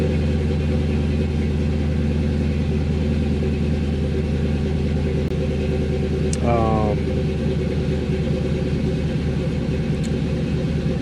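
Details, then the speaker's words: Remote-tuned 1996 Impala SS with 6.0 engine, BTR Stage 4 cam and 3800 stall converter, cold start on new tune with higher startup idle: big V8 holds a fast, steady lumpy cam idle that begins coming down, no misfires; normal cold start idle. "Yeah, so it looks like the idle's coming down now a little bit."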